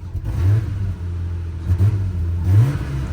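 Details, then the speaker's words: Nissan R34 Skyline revved while stationary; low rev rises and falls with a couple of brief choking dips. Owner attributes the stumble to a known fuel injector issue that causes stalling when pulling away in first gear; a slip light is also on. "That like little blip choking right there is like that issue with the fuel injectors I was talking about."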